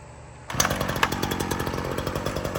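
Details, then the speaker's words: Ryobi RY3716 small two-stroke chainsaw with original air filter and spark plug fires on the pull and settles into a quick, regular putter with even beats, no stumbling; healthy, quiet idle. "Runs really good. It is quiet. Very nice little saw."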